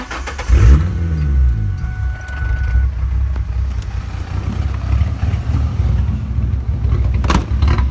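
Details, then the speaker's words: 3.8 L V6 idling with the brake booster vacuum hose deliberately unplugged to mimic a cammed sound: an uneven, loping, raw idle with a hunting beat and a smell. This is a vacuum leak rough idle, not for driving. "For now, I just wanted to see what it sounded like if it was cammed, so I just unplugged that vacuum line."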